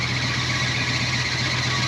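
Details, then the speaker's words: Long-stored Chevy cube van V8 at idle: constant high squeal over steady idle rumble; owner suspects the hydroboost brake unit is unhappy; cause unconfirmed. "you did something I don't think the Hider boost is too happy"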